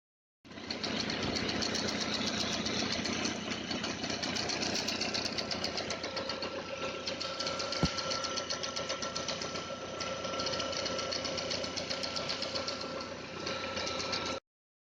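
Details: Audi A3 8L 1.8T AGU idling hot: fast ticking with a thin whine from the timing belt area, only when warm; the belt slides, there is water pump play, and timing was replaced 4,000 km earlier. The owner asks about the water pump; the cam may be a tooth off.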